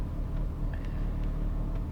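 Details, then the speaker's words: Opel Zafira A 1.8 X18XE1, cold engine, lambda not yet working, no fault codes: low, uneven idle rumble with a slight shake; complaint of cold-start misfire, stalling and rich mixture, cause not yet found; rough idle. "Still the lambda is not working. I guess it's not heated up, but the car is getting shaky."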